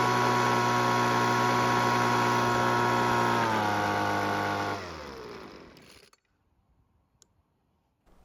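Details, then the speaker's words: Weed Eater two-stroke leaf blower that wouldn't start, after the carb with gasket and air filter were installed: steady high buzzing note holds for several seconds, then sags at shutdown. Runs okay but underpowered. "it works and it even runs okay, but I don't think this blower's got much more to give."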